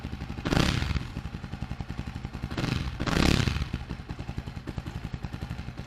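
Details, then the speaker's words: Jawa 42 2.1 motorcycle just after a first-try self-start following one month unused. Even thumping idle with a couple of short throttle blips that rise and settle cleanly. Normal idle. "First self में start हो गई। आप 1 महीने बाद भी first self में start है।"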